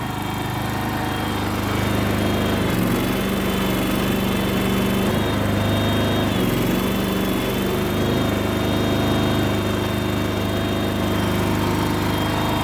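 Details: Kohler engine in a Terramite T5 mini loader, which previously would not stay running, after fuel pump replacement: steady, even beat with no stalling, surging or misses; fuel delivery now good and it keeps running.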